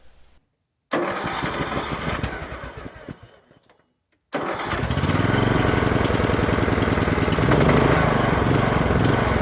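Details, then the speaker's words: 2007 Troy-Bilt Pony riding mower, barn-stored for years, starting after a battery replacement: revs wander up and down and won't hold a steady idle, a telltale of a clogged carburetor. "after the battery replacement the machine started up but was surging wildly searching is when the engine revs up and down by itself but won't reach a constant idle this is a telltale for a clogged carburetor"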